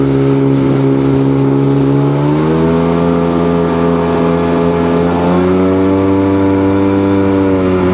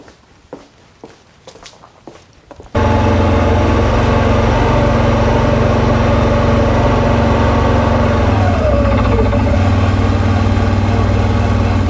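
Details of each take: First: Sea-Doo GTX DI two-stroke on water run after bad air injector replaced, water temp 52–58°: full-throttle drone climbs in two steps then levels off early; tach shows only 6,200 rpm, cause unresolved. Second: Sea-Doo GTX DI after bad air injector replaced, weak battery suspected: starts instantly, holds steady even idle with deep low drone, no stumbling or misfire; running healthy.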